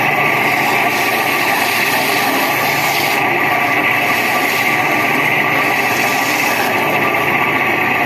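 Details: Window AC fan motor running; constant high, rough whirring over the fan's rush from worn fan motor bearings, cooling otherwise fine; motor then opened to replace bearings.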